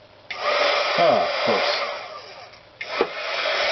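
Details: HG-300D heat gun, 5-6 years old, started after a freezer cold test: motor spins up with rushing airflow and a thin, wavering whine; the fan sounds whiny, and dry bushings may be the cause.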